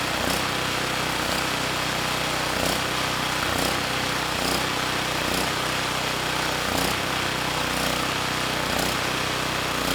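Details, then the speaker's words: Campbell Hausfeld GN503100AC generator with Briggs Vanguard engine and clone carburetor, 20 µF capacitor fitted, running unloaded: uneven note with a surge about every second; running slightly lean at no load, now making power. "yeah it's not perfect without a load there is a surge so we're running a little bit lean"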